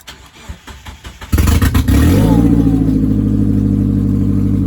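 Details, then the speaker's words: 1999 Mazda Miata (NB), manual, sat 8 years on old fuel, cold start from inside the car with clutch in: cranks a few seconds, catches first try and settles to a steady idle; slight exhaust leak noted, otherwise healthy start. "Wow, that is so sweet, man. That's running really good."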